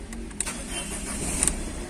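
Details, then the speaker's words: Ford Figo after repairing a wiring short circuit that caused no start, no ignition and a blowing fuse; short crank, then catches and settles into a steady idle without stumbling or misfire; starts normally. "को देख सकते हमारे गाड़ी start हो गया है की wiring का जो भी प्रॉब्लम था शॉट सर्किट का"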